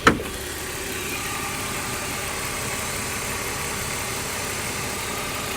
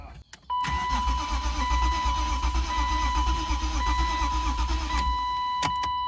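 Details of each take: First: 1993 BMW E36 M3 abandoned car revived, a while after an earlier ticking, misfiring run: even steady idle with no ticking or stumbles; smooth and healthy once warm. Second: 1993 BMW E36 M3 abandoned and sitting a long time, with debris in the cylinders: starter spins steadily about five seconds with a lumpy uneven beat and no firing; engine not seized, low compression on about two cylinders, uneven compression while cranking.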